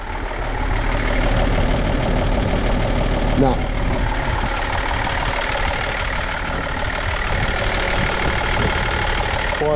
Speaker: Yeah, sounds good. Call a bit of a diesel knock, but